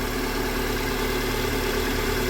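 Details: Renault Duster Oroch engine after replacing a faulty valve causing a customer complaint of strange engine noise: steady, even idle with a smooth low hum and no hiss or whistle; running normally, though the non-original replacement valve may start making noise again.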